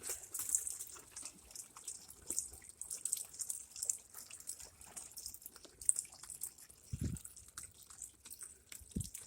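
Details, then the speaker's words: LG WM0642HW washer with water inlet valve not shutting off: faint steady trickle and drip of water running in while idle, even after unplugging; customer shut water supply off. "she actually shut the water off because as soon as it turned on the valve just keeps running"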